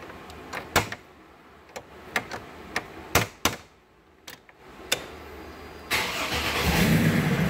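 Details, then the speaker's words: 2003 Chevy Trailblazer LS 4.2L that would not start in park; after replacing the neutral safety switch it cranks, catches at once in park and settles to a smooth idle. "you go it's in park and fired right up there you go it's showing Park"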